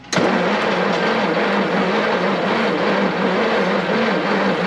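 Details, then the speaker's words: 1952 Kenworth Pacific bus with a Ford Super Duty 534 V8, parked since 2003: coil hot-wired to the battery and starting fluid in the carb, yet it cranks steadily for five seconds without firing; corroded ignition points suspected. "nothing I'm sure there's a point ignition they're probably completely corroded"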